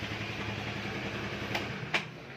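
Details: Honda Vario 110 carburetted scooter, 2012, about 70,000 km: quiet, even low putter at idle with no knocks or rattles, just two faint clicks; engine running smoothly, normal idle.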